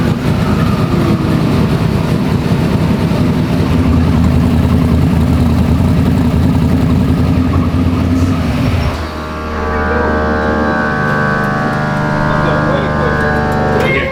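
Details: Freshly built turbocharged 421 small-block Chevy, not fully warmed up: rowdy revs with quick turbo spool and a rising whoosh, about 6 psi in under two seconds. Healthy engine.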